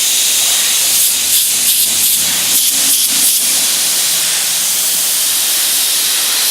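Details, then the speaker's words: Master Airbrush TC-40T compressor with adapter fitted for a Paasche airbrush, regulator backed off from 60 to 35 psi: steady, even airy hiss with light pulsing about three beats a second; normal smooth airbrush spray. "Okay, so now we have it set at 35. We backed off that regulator, and let's see what that's like."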